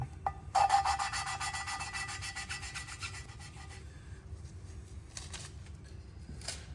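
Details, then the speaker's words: Allis-Chalmers B tractor cylinder head during rebuild: dry, gritty rasp swinging back and forth as a valve is turned on its seat with a suction cup and lapping paste; the paste is cutting normally, normal valve lapping. "Obviously, you can hear that grinding sound. That's the paste doing its job."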